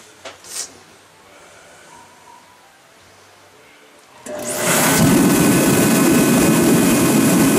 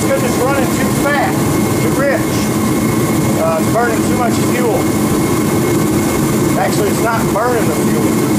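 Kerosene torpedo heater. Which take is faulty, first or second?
first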